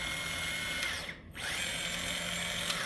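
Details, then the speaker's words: Kabolite K961 excavator track motor, run with the track removed after a fix for loud squealing when turning. Light, steady, high-pitched hum with no squeal; sounds healthy, though the squeal previously returned once the track was refitted. "and you can see it's pretty quiet however when I used to put the track on it would start squealing loud all over again"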